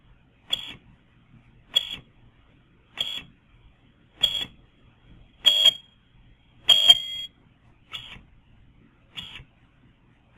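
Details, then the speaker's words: Yaskawa Sigma-7 servo motor during SigmaWin+ autotuning, making repeated 2.5-rotation moves. Sharp high-pitched chirps about every 1.2 seconds, one per move, ring longer as the response gets more aggressive: audible servo whine from excessive gain. "hear sometimes as the response of the servo is more aggressive you'll hear that even audibly"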